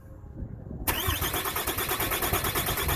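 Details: 2007 Dodge Ram 2500HD 6.7 automatic, no-start, during transmission range circuit checks in park: steady starter cranking at about three beats a second that never fires. Engine turns over but won't run; suspected ECM or ECM software fault, not confirmed.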